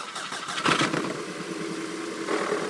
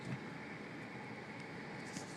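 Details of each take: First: 2008 VW Passat 2.0T at start-up and idle: cranks and catches into a rough, uneven, clattery, diesel-like idle with a misfire. Faulty coil packs are suspected and tested by swapping in packs from a 1.8T Jetta. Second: 2008 VW Passat 2.0T with a misfire, running on coil packs borrowed from a 2003-ish Jetta 1.8T, at operating temperature from inside the car: steady, even engine hum with no sputtering; misfire gone though the check engine light stays on.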